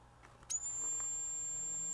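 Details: Vintage 1970s Snap-on MT241A timing advance light on 12 V DC with an intermittent power switch, mic held next to it: instant thin, steady high-pitched squeal on power-up, normal; next press sometimes gives nothing.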